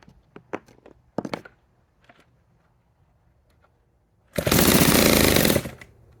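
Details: 1946 Power Machinery chainsaw (Vancouver-made) after full restoration: handling knocks, then saw fires and screams at high speed just over a second, crisp and even before shutting off; normal running.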